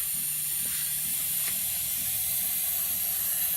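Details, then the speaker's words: PerkinElmer CryoFill switched on and fill clicked on the control panel: steady even hiss of gas venting as the tank builds to about 9 PSI; normal fill behaviour. "so when the cryofill is on and you click the coil fill button on the control panel you will hear the pressure coming out and the pressure of about 9 PSI will be established to press onto the level"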